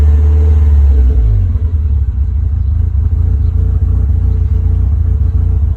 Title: Rough idle hard to start after turning off after temp reached